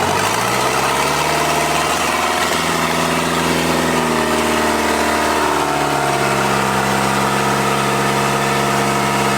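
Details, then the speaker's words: Toyota 40 series LandCruiser B diesel engine at idle on its first start after a cheap back-shed rebuild: steady, even clatter with no knocks or misses, sounding juicy and beautiful; compression sounds good, normal idle. "juicy sounds good she sounds like a beauty"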